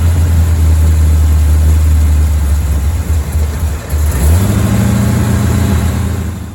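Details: Chevy Bel Air V8 during timing adjustment, aiming 12–15 degrees near 1000 rpm: low, lumpy idle with uneven beats that sag and recover, close to stalling, won't stay running long to adjust; rough idle, cause not confirmed.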